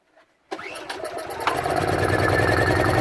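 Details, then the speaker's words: Honda 2000 generator that would not run, being tested after repair on a boat at anchor; it has a cold-climate heater in the oil breather vent line to the carburetor. It cranks with uneven catches and stumbles, flooding, before picking up into a steady run. "Ah, it's flooding."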